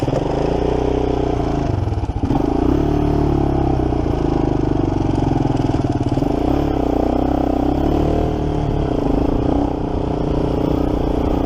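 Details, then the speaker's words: 1987 Kawasaki Mojave 250 water-cooled four-stroke ATV, just started, idle not yet set: busy single-cylinder idle with loose rapid slapping clatter following the revs, timing chain smacking around, loose; timing chain slap, new tensioner considered. "pretty sure I do hear the timing chain smacking around a good bit yeah I definitely hear the timing change"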